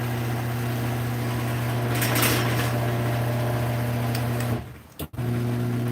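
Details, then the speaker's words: Garage door opener running without the door: loud steady low motor hum with buzzy rattle, then cuts out, quiet on the way up; owner suspects trolley vibration, back lens, front, or a partly stripped screw hole. "Listen to how loud that is there. And then how quiet it is here. That's weird. I think part of it is the trolley, part of it is this back lens, and part of it might be the front."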